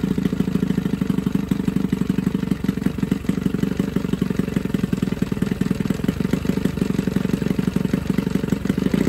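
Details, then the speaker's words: Johnson 9.9 two-stroke outboard (kicker motor) after a carb kit rebuild and new plugs gapped to spec: low, steady putter at about three pulses a second, even with no hunting or misfire, pretty quiet; normal idle. "that's pretty quiet when I'm be straight there"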